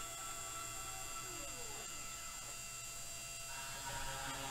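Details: 3018 mini CNC router, spindle on, running its first job: steady high spindle whine with stepper tones sliding up and down as the axes move; it is cutting normally.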